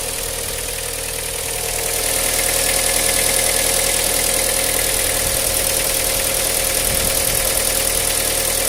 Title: Стук на холодную!